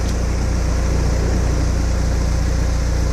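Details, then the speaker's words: 1997 Mercedes-Benz C180 W202 1.8 L, automatic, one owner, 93,000 miles, warm after 10 minutes of driving, idling in park under 1,000 rpm: steady, smooth exhaust drone with no misses, lifter tick, knocks or ping. Normal idle. "But you can see the the the pulleys aren't wobbly. Um there's no valve lash t, you know, lifter tick, no knocks, no ping. This is This is what right looks and sounds like."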